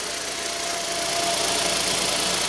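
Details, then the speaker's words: 2015 Hyundai i10 1.0L after timing chain replacement, idling: smooth and even with a faint steady whine; the earlier shushing from the stretched chain is gone or much reduced. "is gone the shushing noise has gone there is a little bit of a wine you can tell where the shushing noise was it's still there but not like it was"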